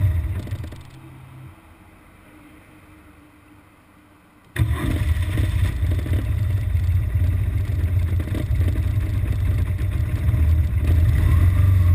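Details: BMW R1200GS Adventure boxer twin with an intermittent fault that usually appears in traffic after about 20 miles of fast A-road riding. The engine catches and runs a lumpy, hunting idle as if about to stall: rough idle.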